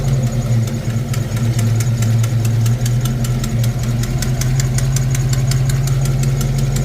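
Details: Fox-body Mustang V8 with new heads, lifters, roller rockers, distributor, plugs and header gasket: idles with a sharp, steady tick about four times a second, quieter as timing advances (about 18–20°), cause unknown.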